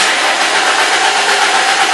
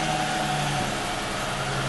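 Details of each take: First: Ford/Lincoln/Mercury cranks evenly for three seconds but won't start after a dead battery was charged; spark and injector pulse OK, no fuel pressure. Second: Car that cranked but wouldn't start (dead battery, no fuel pressure) now idles smoothly after repair, with a steady low hum and no knocks or misfires.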